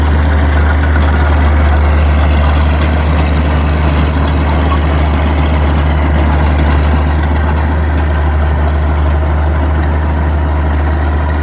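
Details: Old Caterpillar D6 diesel dozer warming up, with a deep, steady, even low idle rumble and no knocks or misses. It smokes a bit but sounds good; normal diesel idle.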